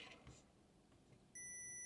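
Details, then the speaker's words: Multimeter in continuity beeper mode, probing inside an Icom IC-7100 radio that has no HF power output: faint rustling, then a clean, steady high beep that holds, showing continuity, ground to ground. "got this in beeper mode so it should beep if something is connected wrong"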